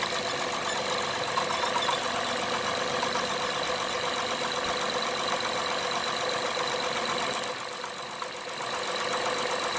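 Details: 2012 Acura TL at idle: steady engine hum with a fast light tick around four per second; cause not identified.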